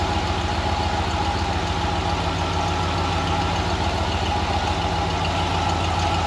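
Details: Ford 302 V8 Econoline van, first cold start after replacing bent #5 intake pushrod (owner suspects stuck valve), dual exhaust. Even low V8 rumble at fast cold idle, slightly uneven, no valvetrain clatter; running on all eight.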